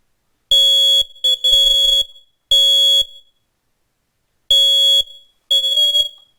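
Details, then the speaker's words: Loud, shrill beeps in groups of three with pauses between: a home smoke alarm sounding. "two different forms of protection for your home and your family and two different sounds the carbon monoxide alarm and the smoke alarm"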